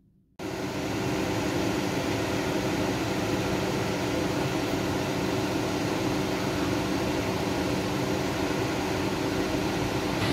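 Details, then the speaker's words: Chevrolet Orlando, ignition on: the radiator cooling fan comes on immediately and runs constantly as an even rushing whoosh. The engine light is on and won't clear, with codes stored. The fault began after a careless car and engine wash. Cause is unconfirmed. "you can hear the fan so this is on position even if i start the car so the engine light will stay on as well"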